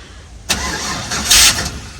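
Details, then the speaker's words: LS-swapped 6L Unimog 404, parked at least half a year: short cranking bursts with a hissy rush, never catches; owner suspects air in fuel rail or lack of fuel, tries other tank; cranks but won't start. "Doesn't sound like it has gas in it, to be honest. Like I can hear it, the fuel running in the rail, and it sounds like it's got air in it."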